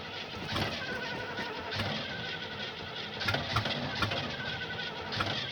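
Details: 1975 Oldsmobile that won't start: uneven starter churning goes on and on with no firing, never turning into a running idle; cause unknown.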